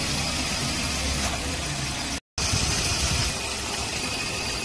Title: ENGINE MISFIRE AND SHAKING